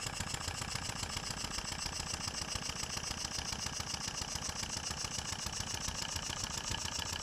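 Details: Stuart No.8 horizontal model steam engine after refurbishment, test run on compressed air with newly fitted oilers on main bearing caps filled and working; quick even chuffs about three and a half per second, no knock; normal running.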